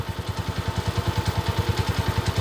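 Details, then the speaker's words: TMX155 single-cylinder motorcycle after timing gear repair and fresh rebore, now on break-in: crisp, even thump at about eight beats a second, steady with no tapping or rattle; healthy normal idle. "Yan, napakaganda na mga kabro. Ang ganda ng tunog ng butso-butso niya."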